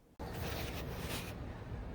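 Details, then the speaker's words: 2003 Cadillac DeVille, 4.6L Northstar, crank no-start after misfire, rough running and low power; cranking for a relative compression capture: steady cranking with no catch and an uneven beat, one or two cylinders sporadically dead; capture suggests cylinders 5 and 7 low. "okay now we have one dead cylinder let's see if we can hear this with the phone wait for it to come back around we have two dead cylinders it's actually a little sporadic sometimes it's one sometimes it's two"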